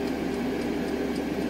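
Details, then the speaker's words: Small sink pump in a truck hums with wavering pitch and loudness, its speed fluctuating even after the connection was soldered; the owner suspects badly corroded wiring giving a flaky, inconsistent current supply. "you hear how the the amplitude and the sound of the pump is changing it's not getting it's not getting a consistent amperage"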